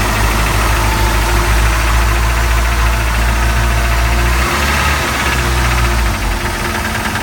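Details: Mercruiser 3.7 marine engine at startup: heavy, low knocking runs steadily through a rough idle. This is the deep rap of bad, worn bearings.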